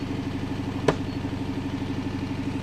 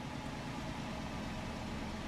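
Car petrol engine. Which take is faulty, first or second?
first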